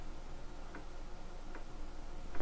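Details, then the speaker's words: 1987 Korg DSS-1 synthesizer under restoration, floppy drive formatting a disk via disk utility format command: quiet, sparse ticks roughly every 0.8 seconds as the head steps across the disk; the drive, expected to be dead, is working normally. "Insert disk and enter. Are you sure? I don't know. Maybe yes. So, I can hear the drive doing stuff."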